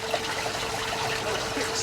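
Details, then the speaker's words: Boat bilge pump running while the Volvo Penta KAD32 cooling system is flushed with the thermostat housing off: steady splashing discharge over a faint constant motor hum; pump working normally. "you can hear that can you hear that it's a bilge pump it's working"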